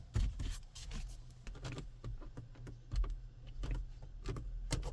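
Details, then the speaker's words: 2024 Toyota Land Cruiser 250 cabin: irregular dry clicks and creaks each time the trim around the dashboard screen is pressed; the loosely fitted surround creaks heavily, average materials. "Jak słyszeliście, ramka w koło ekranu bardzo mocno skrzypi, a materiały są przeciętnej jakości."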